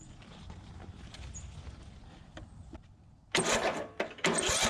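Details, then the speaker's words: 2004 Craftsman DYT4000 riding mower (Briggs & Stratton), abandoned in a field, started with ether: quiet lead-in, then the single catches and settles into a firm, even run with no knock or clatter. Healthy-sounding, surprisingly quiet, normal running. "yeah that's awesome i really wasn't expecting i was not expecting it to sound that healthy"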